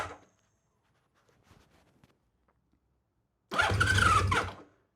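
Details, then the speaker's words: 1979 Honda CBX inline-six, first start after full rebuild, in neutral, air box removed: quiet stretch then short cranking burst with scattered pops, engine tries to fire but doesn't catch. "All right. Let's turn it on. Should be in neutral. I'm going to put on my safety gear. We'll give it a shot. All right. We're getting pops."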